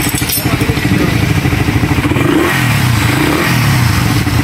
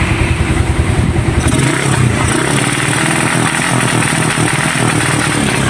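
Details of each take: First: Raider 150 motorcycle after engine refresh, previously rapid backfiring with RPM cutting out: engine picks up cleanly and runs steady through revs with even exhaust beat, no misses or pops; normal revving. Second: Raider 150 motorcycle with rapid backfire and no pull. Pulsing bursts as the revs cut out; the CDI had been converted to a Wave 125 4-pin unit.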